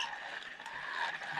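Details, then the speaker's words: Silstar Edge 70 saltwater spinning reel, 4.0:1 gear ratio, ball bearings, cranked by hand: steady whirring gear noise with a faint high squeak from the handle; the bail trip is a bit noisy. "the bail trip Works a little bit noisy you can hear there's a little squeak from the handle there's a little bit of gear"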